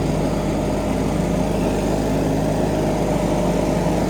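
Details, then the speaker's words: John Deere 420 lawn tractor's 20 hp engine mowing with a 60-inch deck that needs about 22 hp: steady low drone, strained and labouring as the cut gets heavy; underpowered engine barely coping. "these are very nice cutting decks but they have a problem with airflow and the fact they require they honestly require 22 horsepower more this 20 horsepower out it's just barely cutting it"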